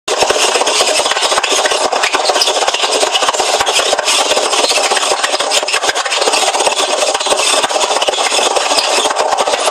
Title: Hoover washing machine making loud noise